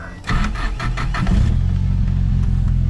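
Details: Cold start of a sub-$3,000 daily-driver project car with a newly fitted fuel cell: a few quick cranking turns, catches within a second and settles into a steady, even idle; healthy cold start.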